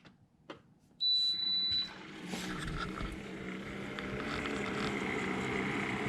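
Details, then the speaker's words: Keurig K-Café milk frother running after the cappuccino setting is skipped (about 1 min 40 s cycle, lid installed): short beep at button press, then a soft steady whir and hiss building gently; normal operation. "you can see they're pretty much what it's doing now we'll tell you when it's done it will give two beeps and this light here was gonna go out and you're gonna get about 3/4 of an inch of foam and about a hundred and sixty degree milk"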